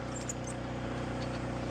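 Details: Saturn car that sat in a barn for about a year, just started after sitting all day, idling on its own battery with no battery light on: a smooth, even low idle with a steady rhythm and no misses or knocks. It is idling normally.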